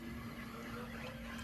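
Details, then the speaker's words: BMW E9x 328i/xi xDrive, N51/N52, after new electric water pump and thermostat: bleed run started by holding the gas pedal 10 seconds; faint steady hum with watery hiss as coolant pumps through, no leaks. Normal electric water pump running. "Okay, so you can hear it pumping fluid through the system. So that's good."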